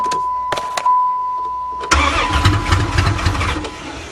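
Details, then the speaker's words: Van restarted after being hydrolocked from driving through water, with water dumped out through the removed intake manifold and some possibly still in the cylinders: steady tone, then the engine fires first try and settles into an even run with no knocking. "oh she wants to live yes it's alive it's alive"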